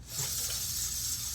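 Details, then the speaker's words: BMW S1000RR on stands, original front rotors, front wheel spun by hand: short dry scraping as brake pads rub the rotor and slow the wheel quickly, before Brembo floating rotor upgrade. "rubbing so the brake pads are actually rubbing the rotor here and it's slowing it down a ton barely getting any rotation out of that"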